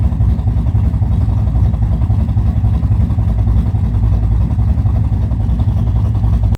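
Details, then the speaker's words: Camaro cammed V8 idling on a freshly installed Summit Max EFI-500 with IAC valve (formerly carbureted, about 900-970 rpm idle): deep, choppy, loping beat with slight speed wander, then shut off. Normal idle; owner unsure of the correct idle setting. "So that's how she is. So with the CFI system, I really don't know where to set the idle."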